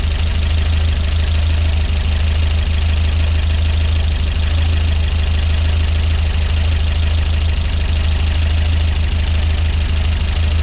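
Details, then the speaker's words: Peugeot 205 GTi Mi16 rebuilt engine, first start: steady idle with fast, busy top-end tapping about three ticks a second over a deep drone; oil level full, doesn't clear with gentle revs, cause unknown. "Okay, that's really loud, isn't it? Switch it off. Right, yeah, fucking hell, really noisy in the top end. I'm not sure why."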